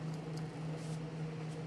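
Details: Prototype Xbox 360 XeDK after CPU replacement by BGA rework (old DD1 CPU booted only 1-2 of 10 tries) and recap, first power-on: quiet, steady low fan hum, no rattle, scrape or surging; console functioning properly. Normal fan running.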